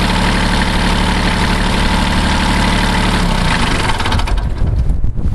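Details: 1981 Kubota B6100 four-wheel-drive diesel tractor at 32 degrees after snow; steady even idle clatter until switched off and running down, normal idle.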